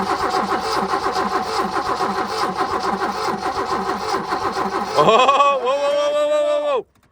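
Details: Abandoned BMW E30 with 10-year-old gas, cranking to check fuel delivery while spark issue is suspected: steady starter cranking about four turns a second, engine never catches.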